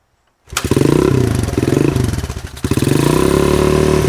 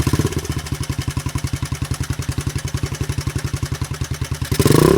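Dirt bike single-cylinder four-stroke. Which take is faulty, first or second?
second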